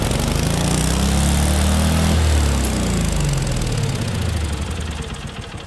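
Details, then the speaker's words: Case 446 with a swapped-in Kohler Magnum from a Cub Cadet, just started after the swap, before governor adjustment: thump climbs to a high rev then sags and slows over a few seconds, speed not held; governor out of adjustment. "Alright guys, so we got it to run. It runs, but we're gonna mess with the governor a little bit"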